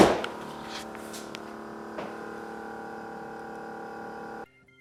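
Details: GE Profile PSS26SGRC SS refrigerator: a steady loud hum holding a constant pitch from the freezer side. The owner suspects the fan; cause unconfirmed.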